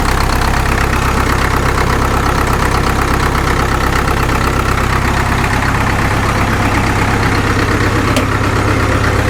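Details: Caterpillar D2 #5J1113 diesel after replacing the leaking number 4 injector with another: steady, even idle clatter with a regular beat, no pop or stray knock; sounds better than it has since it first ran.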